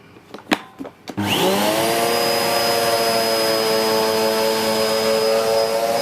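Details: 2013 Hoover Whirlwind Pet WHS2102 001 2100W bagless upright, belt refitted, picking up the last white powder from carpet: the motor spins up within a second to a steady, even, clean high whine. Smooth and healthy, nothing rattling or labouring; normal running.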